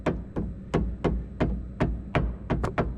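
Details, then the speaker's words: Peugeot RCZ HDi, wheel off and steering on full lock, tie rod tapped by hand on the good side: dull firm taps about three a second, no rattle; solid, unlike the loose metallic knock from the worn inner tie rod on the other side. "one seems a lot more solid, where the other side just wasn't."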